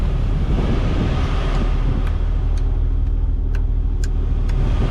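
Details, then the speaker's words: 1998 Jeep Wrangler TJ after AC system restoration, leak repair and recharge: steady even idle rumble with faint ticking, no squeal or surges; cabin cooled down, AC and repaired blower working fine at idle. "It's at idle. It has cooled down in here quite a bit. The AC is working fine."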